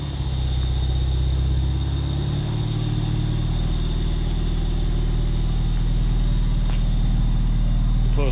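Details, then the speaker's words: 2013 Krafwerks supercharged Miata after installing a Flying Miata mid pipe, replacing a clogged catalytic converter: deep, even exhaust drone settling into a steady run, no rattle or choked sound; exhaust flows freely, healthy note. "Definitely back now too. Before the catalytic converter was clogged, but now we definitely hear the sound."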